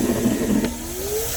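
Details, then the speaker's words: 2023 Ford Super Duty 6.7 High Output Pro Power onboard outlet running a vacuum plus a second load: the motor whine sags under the added load, then climbs back. The inverter is overloaded and can't run both. "you can hear the power drop right away this thing can't run them together"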